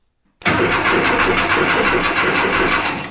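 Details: 1982 air-cooled VW Vanagon Westfalia under restoration, coil unhooked so no spark, engine cranked from a switch with key off; starter spins about three turns a second but nothing fires. Crank no start, fuel pump not running.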